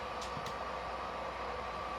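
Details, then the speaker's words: Secondhand PS4 Pro booting a system software update: a constant airy rushing roar with no letup or pitch change, really loud, as the cooling fan runs flat out through a dust-packed heat sink. "so let's see if that did it and this thing oh my God it's really loud"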